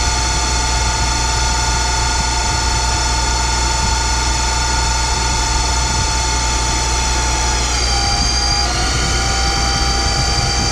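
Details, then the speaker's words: Boyar Schultz Challenger surface grinder, motor refitted and spun up: steady motor hum with constant high whine and rough undertone from the spindle; owner suspects unhappy spindle bearings, unconfirmed. "sounds good spindle bearings got happy unhappy Louis bro you noticed"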